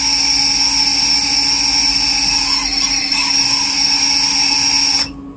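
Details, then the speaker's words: Siccario cinelifter with BH2812 v3 motors, bench test after the hacky frame-bracing fix and a PD balance pushed toward 1.5: steady motor whine with a shrill trill that is worse but at a much higher resonant frequency, easier to filter. "and you can hear the trilling has you know it's got worse it's definitely there but the frequency is just much much higher"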